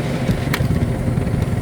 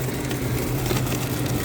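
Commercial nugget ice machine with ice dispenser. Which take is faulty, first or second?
first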